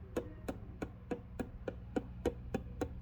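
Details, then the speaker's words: Original Fender Vibrolux Reverb amp, tapping preamp valves with a chopstick: each tap comes through the output as a clack with a short ringing tail; that valve is microphonic and suspect, two preamp valves were faulty. "can physically hear that on the output that is suspect"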